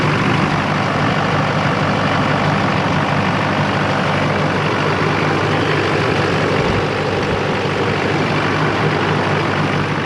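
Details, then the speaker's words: 2004.5 GMC 2500 HD LLY Duramax, 245,903 miles, deleted and tuned with a new CP3 fuel pressure regulator and 30 gal/h lift pump, cold at about 45°F: settles into a steady, even idle with deep clatter and no hunting. Healthy. "smooth as ever the truck is good to go no more L idle nice consistent exhaust note"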